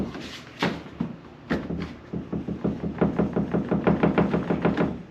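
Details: 2015 Toyota Tacoma, bed rattle, bolts tight: quick hollow knocks about three a second as the bed is rocked on its frame mounts; fixed with two neoprene washers per bed bolt.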